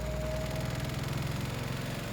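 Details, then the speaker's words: English Electric 2800 rpm spin dryer, new, after the clothes were rebalanced. A fast, steady buzzing rattle sits over the spin hum; the unit is vibrating against the cupboard beside it, not an internal fault. "That's better. Rattings because it's very close to the cupboard,"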